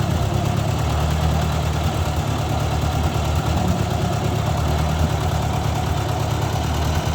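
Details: 1956 Ford 640 tractor restarted after first start in years, oil pressure confirmed (pinched gauge line): steady, even low thrum with regular firing beat, no knock or miss; runs really good but still rich and a little smoky, carburetor needs adjusting.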